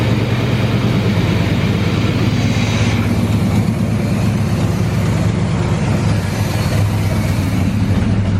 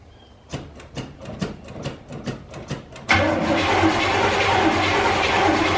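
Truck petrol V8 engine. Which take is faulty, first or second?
second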